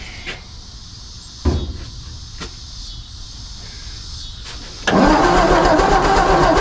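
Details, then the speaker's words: 1954 Ford F250 truck rescued from the crusher, new battery, power at coil: a few quiet clicks then steady starter churning with no firing; no spark, owner suspects points (or resistor) need replacing. "No spark. Maybe I do need new points."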